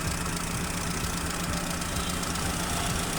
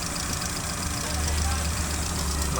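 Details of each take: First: Chevrolet Aveo at idle with a misfire, injectors disabled one by one with a scanner: an uneven stumble and knocking beat. Disabling cylinder 1 changes nothing, so cylinder 1 is dead. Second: Chevrolet Aveo after the cylinder 1 misfire fix, with injector 1 now working in the scanner disable test: steady, smooth idle with all cylinders firing. Injector pulse width is now 3.3 ms and is still slightly high.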